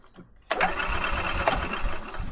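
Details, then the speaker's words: 2012 EZ-GO TXT gas golf cart, wouldn't start after being parked; spark present on inline tester, fuel smell, suspected fuel delivery problem; starter spins with a steady rough churning rhythm but never fires; crank no start. "a uh this is a crank no start and I smell fuel"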